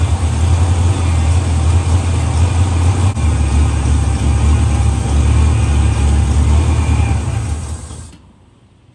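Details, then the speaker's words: 1970 Pontiac LeMans four-door parked 30 years, after oil change: rough, uneven engine noise about eight seconds then dies; no sustained start, fuel starvation, no gas coming through. "nope nope no gas coming through so it's stopped up somewhere in there we're going to find out where"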